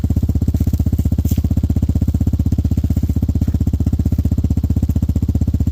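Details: Hawk 250 (Hawk DLX) with EFI, fitted with a new Pro Circuit performance muffler with no baffles or restrictions. A loud, crisp, even exhaust thump at about three pulses a second, steady with no misses. Normal idle with the open muffler.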